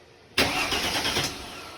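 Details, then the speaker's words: Starter test on the good car: about a second of strong, even cranking that then fades, showing the starter spins the engine properly. The car with the bad starter would not crank at all, confirming its starter had failed. "you can hear that the car cranked therefore the starter is good"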